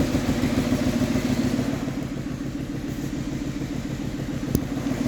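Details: VW Passat after replacing 4 camshaft followers: idles with an even, steady beat and no top-end ticking; valvetrain quiet and healthy.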